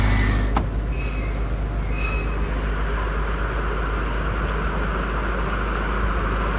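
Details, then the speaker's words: Reconditioned Kirloskar/Deutz HA494 four-cylinder air-cooled diesel 35 kVA silent genset, unloaded, exhaust fan running, silencer side: low even rumble with steady fan hiss, no knocks or surging; smooth quiet running. "बिल्कुल super silent जट बन चुका है दोस्तों"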